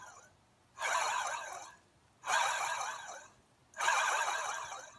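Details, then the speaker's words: Removed Hyundai Santa Fe AC compressor turned by hand gives three rough, gritty growls; the clutch wasn't engaging fully and the compressor had started growling, so it is being replaced. "the clutch wasn't engaged gene and it started to make a growling noise so then I decided I had to do something about it"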